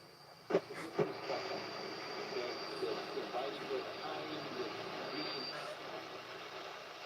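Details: Radio on long wave: faint broadcast buried in hiss with a thin, steady high whistle on top; weak reception with whistling interference. Cause not confirmed.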